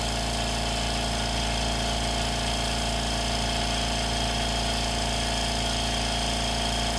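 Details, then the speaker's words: Air compressor powered by a BLUETTI Elite 200 portable power station (2,600 W) runs normally: a loud, steady pumping drone with an even, unchanging beat, no knocks or squeals. "working, guys. Sounds like it normally does."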